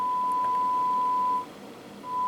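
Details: ICOM IC-910H with an intermittent no-receive fault on the main receiver: a clean, steady 1 kHz signal-generator tone on the sub channel drops out for about half a second, then returns. The sub receiver passes the test signal properly.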